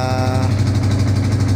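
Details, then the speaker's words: Yamaha Vixion electric start after the starter motor (dinamo) was cleaned at the armature to cure a squeaking "ngik" noise: smooth, even low rumble with no squeal or grinding; starting now clean and healthy. "suaranya mulus seperti baru ya karena sudah bersih di bagian angker dan"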